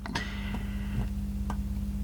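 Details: National/Panasonic RX-CW26 boombox tape deck: light ticking about twice a second over a steady low hum as the capstan spins. The noisy capstan is suspected to have a bad bearing.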